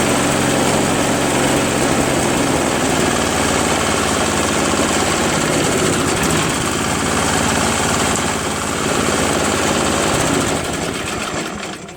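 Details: Craftsman push snowblower, after a carb clean and after its seized electric starter ring gear was freed with penetrating oil: the small single fires up and holds a loud, steady, even chatter with no misses or grinding; it starts and runs properly.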